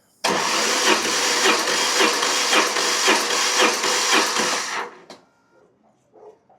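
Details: BMW GS motorcycle compression test while cold, on uncharged weak battery after valve clearance adjustment: steady starter cranking with even pulses about twice a second for roughly five seconds, slightly slow; about 125 PSI reached; normal cranking compression.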